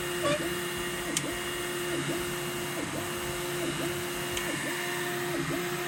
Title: n4 pro squeaking sound